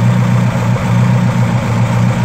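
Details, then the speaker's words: Ford 2.0 Pinto SOHC with RL-31 cam in a Mk3 Capri, first start after about six months, due an oil service: started on the first turn of the key and idles as a smooth, even low hum with a steady beat and no knocks or ticks, healthy. "not spied this thing up for [Music] half a year at least and literally first turn on the key away she goes"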